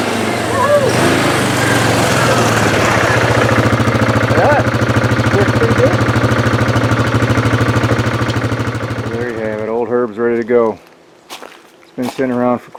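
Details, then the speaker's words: 1998 Yamaha Grizzly 600 4x4 after a carburetor clean and oil change, revived from long storage: strong, even single-cylinder thump at steady idle, then revving freely before cutting off; normal running. "clean the carburetor up change the oil she's good to go sounds good um that's about all I'm going to do with it"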